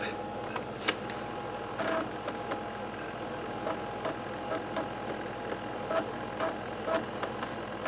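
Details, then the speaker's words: Slimline laptop-style floppy drive after replacing its deteriorated drive belt. Soft irregular head-stepping ticks and brief whirs from a slightly noisy drive motor as it successfully reads the disk: normal loading, repair confirmed. "excellente you can hear the floppy Drive working again it is just a tad noisy with the uh Drive motor"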